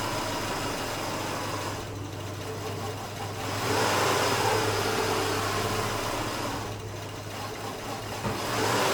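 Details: 2008 Subaru Outback EJ25 2.5 L non-turbo, 5-speed manual, ~96,000 miles, hot; fine cold, but idle sags and recovers every few seconds, stumbles, eventually stalls: rough idle and stalling from failing ignition coil.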